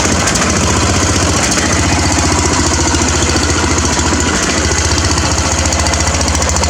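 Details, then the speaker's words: Craftsman riding mower with its muffler just pulled off: loud, raw, rapid exhaust popping with a heavy low thump and harsh crackle at steady speed, running with no muffler. "just pulled this muffler off the froze up poppy on the craftsman kind of want to hear what it sounds like"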